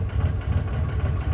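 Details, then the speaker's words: Cummins diesel truck, after cutting each cylinder: low idle with an uneven, lumpy beat; all cylinders fire but one seems to fire weaker. "Okay, so they're definitely all firing. Definitely. But something's wonky somewhere. One of them's not firing enough."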